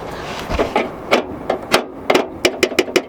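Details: Underneath the Mk3, a hanging exhaust heat shield missing its retaining nut is struck by hand: sharp, tinny metallic clanks, about a dozen, quickening toward the end; this is the source of the car's underbody rattle.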